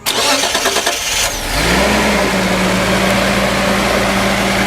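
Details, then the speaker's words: 1976 Datsun 280Z 2+2 revived from a junkyard, now with exhaust fitted, radiator reconnected and fresh oil: brief cranking, then it catches cleanly into a steady, even idle with no misses or knocks; healthy start, runs great. "Fires up and it purrs. It's just a great running little car."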